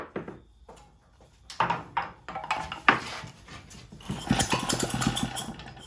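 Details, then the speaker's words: Vintage Lauson engine on a jump starter, long left outside; pull-start attempts after carburetor adjustment (1¾ turns out, choke partly open) give a few weak pops but never catch; spark found lost, points to be cleaned. Cranks but won't start. "Okay, so I lost spark. So I'll take the flywheel back off, clean those points a little more."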